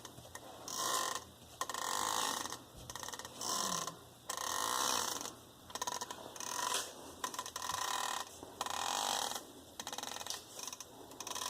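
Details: 2007 Jeep Grand Cherokee WK with a new driveshaft only five days old: dry, uneven creaks and groans in bursts as the shaft is flexed. The u-joints at both ends are completely worn out.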